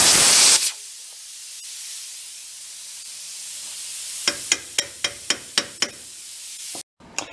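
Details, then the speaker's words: Plasma cutting a broken exhaust manifold stud: a brief hiss, then the arc pops on and off about four times a second instead of holding, not cutting through. Owner thinks the tip is worn, its orifice enlarged; needs changing. "tip, I think, is gone on the plasma cutter. I've got to change it out. Once the orifice gets a little too large, the speed slows down. You can hear the torch wheels turning on and turning off, not kind of making it all the way through."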